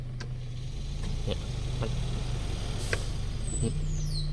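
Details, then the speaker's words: Mitsubishi cabin blower motor on speed 1, original unit: a low steady fan hum with irregular dry scratchy ticks. The carbon brushes are scraping and the armature is worn, which cannot be repaired, so the motor needs replacing. "อันนี้เา้าเรียกว่าเสียงพวกถ่านที่อยู่ในมอเตอร์เนี่ยมันสีแก้ไม่ได้ครับเหม็นทุ่นมันสึกไปแล้วนะครับ"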